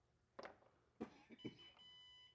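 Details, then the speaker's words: Sole F85 treadmill: a few soft clicks and knocks, then a steady high electronic beep for about a second, the console's no-safety-key error caused by a loose or broken tab on the safety key connection. "well it was starting to throw a no safety issue here so let's pull this back out you can see right here it's getting loose"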